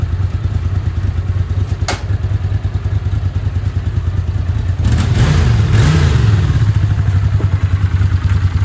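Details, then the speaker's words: Honda CX500 V-twin after cleaning the carburetors and fixing the ignition: deep, even thump, a crisp throttle blip and a smooth settle back with no misses; runs really nice and pulls strong, unlike before. "test run and it runs really nice I love it pulling strong not like it did before"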